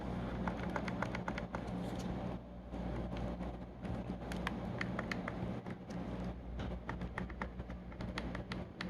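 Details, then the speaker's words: Valve Index controller thumbstick after repair, plastic piece cut slightly smaller with rod sticking out a little: crisp, sharp plastic clicks in quick bursts as the thumbstick is pressed, each registering cleanly, now clicking a lot better. "can hear it now it's clicking a lot better"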